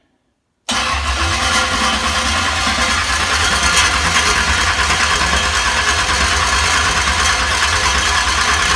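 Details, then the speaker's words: ZZ383 crate engine on a test-run stand in a Nova front clip, battery connected, before ignition is hooked up: fast, even starter whir turns it over steadily with no grinding or catching, building fuel and oil pressure. "let's roll her over let's let's see what that starter and flywheel combo sounds"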